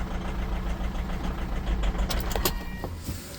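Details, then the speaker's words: Holden Captiva 2.2 diesel that knocked, pinged and stalled after EGR replacement, then would not restart; fuel system likely full of air: cranks, catches and settles into a steady low idle with no misses or knocks; normal idle. "So, we'll give it a crank. Watch our taco. That will give us a crank signal if we're actually cranking, if it's getting something. And we'll have a listen. Oh, we're running."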